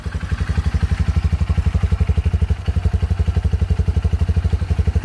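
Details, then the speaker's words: 2022 Honda CRF150L SOHC single, 1598 km, just started on the electric starter: even, steady thumping about four beats a second with no knocks or ticks. Normal standard idle with fairly firm compression. "Kita coba nyalain starternya. Nah, seperti ini bunyi standar dari mesin CR-F 150L."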